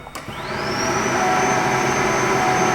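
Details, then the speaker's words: Buick secondary air system active test after new AIR diverter valve fitted, pump running with solenoid opened: steady rushing hiss with a thin high tone rising then holding as air blows freely through the valve; normal secondary air flow. "And our pressure should stay darn near the same because it's just blowing through the solenoid or through the valve. All right. Huzzah. Okay. We have one that pretty well works."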